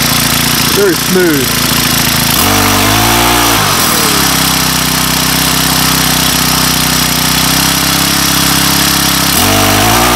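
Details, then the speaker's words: Weathered 29cc four-stroke Craftsman Speed Start curved-shaft trimmer with convertible leaf blower attachment, first cold start with makeshift air filter cover: catches after a few blips, then settles into a steady, even idle without stumbling or rattles; runs properly. "so all right four cycle speed start by craftsman with the convertible attachment being a leaf blower uh that works a lot better than i actually thought it would i've never used one of those on a trimmer runs really well like it a lot"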